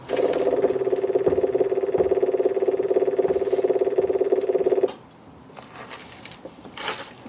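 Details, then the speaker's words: 1968 MGC, ignition switched on with the rear electric fuel pump engaged to build pressure: fast, even ticking buzz for about five seconds, then it stops; the pump is working normally during no-start diagnosis after a refurbished distributor and new coil. "hear that no rumbling that's that's what the electric pump sounds like and other like phones might be different but that's how that's how this unit sounds"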